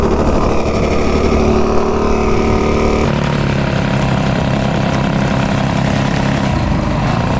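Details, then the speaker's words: Stage 2 196 B200 minibike with a budget Amazon torque converter driver, cruising during break-in; a rough, uneven buzz with a choppy chatter underneath, where the Juggernaut driver felt smoother: drive chatter. "I cruise around the neighborhood just to kind of break this thing in. It sure sounds different. It kind of chatters actually."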